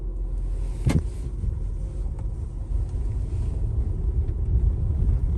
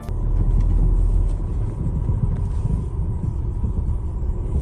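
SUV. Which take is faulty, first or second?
second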